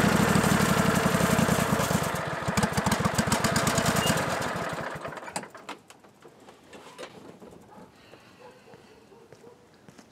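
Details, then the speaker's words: John Deere L-Series lawn tractor at full throttle after a deck spindle replacement, a dry whirring rattle underneath before shutdown: both deck belt-guide idler pulley bearings are worn and noisy and need replacing. "Both of them were making a lot of noise, but I decided to just press on with this repair."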